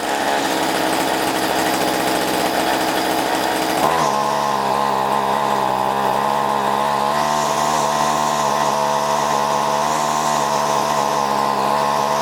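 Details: Two-stroke string trimmer after cleaning a carbon-clogged spark arrestor screen, while adjusting low and high carburetor screws: buzzy steady high speed, then picks up sharply and stays clean and even with no bogging or sputter, running as it should.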